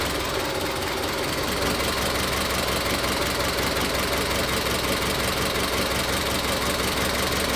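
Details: Engine with an ignition misfire at idle: uneven, lumpy stumble about three times a second. Unplugging individual coil connectors one at a time pinpointed the misfire to cylinder three.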